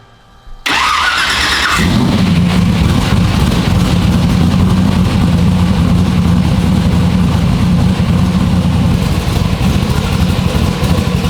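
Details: Fresh 540 big-block, dyno-tested with good oil pressure, during static timing check: brief crank, then steady, lumpy big-cam idle with no misses or knocks; sounds healthy.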